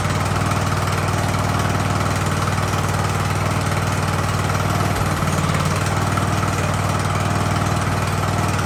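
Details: Ariens hydro-drive riding mower, sat at least two years, in about 30-degree cold: engine idles with an even, regular beat of about three pulses per second, never hunting or dying; smooth normal idle.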